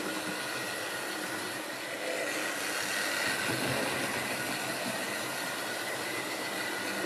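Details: Wrenn West Country class model loco Lyme Regis, not run since the 80s, after joints greased and reassembly: steady high-pitched motor whirr with light mechanical rattle, no catching or labouring; runs smoothly.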